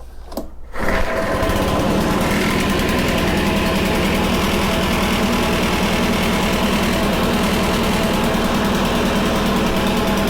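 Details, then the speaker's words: Honda HRC216 commercial mower, dried out and reassembled, started cold on choke: pull-start catches within a second into a steady even run with no misses; throttle cable not working. "throttle cable isn't working huh but it runs so we have that taken care of"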